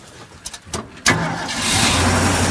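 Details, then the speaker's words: Ford F-250 V8 with no exhaust leaks fires up quickly and settles into a steady, even rumble; idle a little high, choke possibly on; normal start-up and idle. "Oh, man, Wow. that's nice. Idle's a little high, maybe the choke is on."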